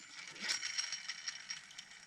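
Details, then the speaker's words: Vintage Shakespeare Atlas fishing reel after servicing and lubrication. Light, even ticking as the handle turns, with no grinding or binding, and the mechanism is loosening up. "well it's working good"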